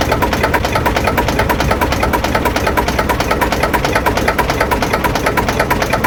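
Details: Lister JS3 three-cylinder diesel narrowboat engine, around 40–42 hp, just started: steady, even clatter about three beats a second with no misses or knocks; healthy normal idle.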